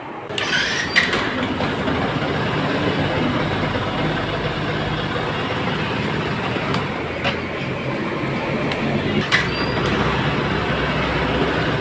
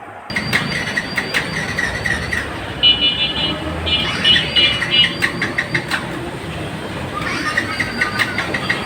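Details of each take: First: Yamaha FZS V2 motorcycle after a piston repair for low compression: starts on the first press and holds a steady, even single-cylinder idle around 2000 rpm behind background noise, with no knocks or misses; running normally. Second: Yamaha FZS V2 motorcycle at key on with fuel present: repeated starter bursts, the engine spinning freely but never firing; crank no start from low compression (about 40%), later traced to the piston.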